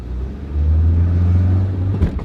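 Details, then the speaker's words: Worn automatic transmission on an economy car while driving: engine pulls steadily, then a sharp clunk as it slams into second gear, as it does on every shift and in reverse; transmission failing. "shifts like a joker you can hear that thing slamming in the second gear"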